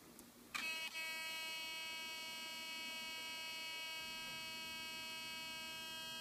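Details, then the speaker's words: Olympus OM-D camera in aperture priority mode: a click at switch-on, then a steady, thin, high-pitched electrical buzz that never changes; an abnormal noise at every power-on, a fault. "症状、スイッチを入れます。こういう異音がします。"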